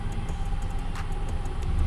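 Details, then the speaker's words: Ford F-150 at idle after replacing one coil pack: low rumble with faint uneven ticking and slight stumble, hesitation remains; still runs rough without engine light, disconnecting that coil changes nothing; misfire cause unresolved. "well bad news i didn't fix the problem so even though my service engine light's not on it's still running rough"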